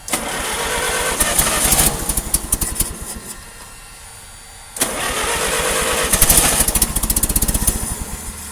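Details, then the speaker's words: Old carbureted engine in freezing cold, leaking water pump: repeated cranking bursts catch briefly, stumble unevenly, die and crank again; hard cold start from poor fuel vaporization, helped by blowing heat-gun hot air into carburetor. "now we blow that we blow the hot air directly into the carburetor that helps the fuel vaporization"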